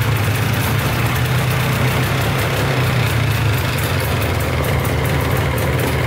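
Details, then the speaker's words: Polaris 400L 4x4 ATV, 400cc liquid-cooled two-stroke, whose oil pump is prone to failure, started cold on choke: a steady, even burble at a fast idle with no knocking or misfire, smoking heavily out the back; idles well. "It's idling pretty good right now. Right, sounds pretty good. I don't hear any knocking too bad."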